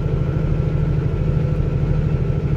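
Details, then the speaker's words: Semi truck with Cummins diesel at about 80,000 lb pulling up a steep I-80 grade near Laramie at about 1500 rpm, recorded via dash cam: steady, even drone with no knock, miss or whine; normal running under load. "it just sounds good. You know, it's not too low, not too high, just a nice sweet sound."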